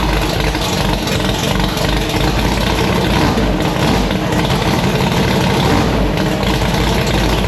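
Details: Annabelle, a V8 race car, idling after a torque converter replacement: a steady, even rumble with no ticking or knocking. Starts, idles and revs fine; the cam behaves normally. Healthy engine.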